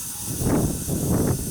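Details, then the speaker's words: 2000 Chevy S10 4WD, 4.3 L V6, intermittent long crank time: after feeding about 30 psi back into the pump through the feed line, soft steady hiss of pressure bleeding into the tank; fuel pump check valve leaking, not holding pressure. "you can hear the pressure bleeding off into the fuel tank through the fuel pump check valve I think that's pretty neat"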